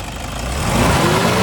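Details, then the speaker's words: 2009 Toyota Innova, about 170,000 km, complaint of heavy noise and vibration when revving: a rushing roar builds with revs, louder than the engine, from a fan clutch that stays locked; fan clutch replaced. "ഇപ്പോൾ heavy നോയ്സാണ് ഇതിനകത്ത് വരുന്നത്, കണ്ടില്ലേ? ഞാൻ തുറന്ന് കാണിക്കുമ്പോൾ ഒന്നുകൂടെ വ്യക്തമാവും."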